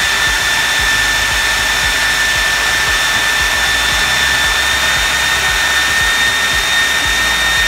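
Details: 3D-printed EDF fan unit on test run at part throttle, with the ESC hard start left on: a steady high whistle over the fan's rushing roar; the owner attributes it to the rotor needing more balancing.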